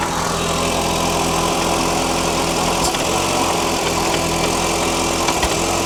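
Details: 2000 Audi TT Quattro, restarted after sitting, exhaust smells bad: steady idle with an occasional hiccup and stumble every few seconds; rough idle, owner suspects old fuel in the tank.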